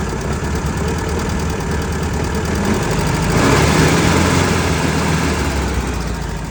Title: Please help me. what is the clunking noise and where is the oil leaking from. 1966 beetle w/ 1300cc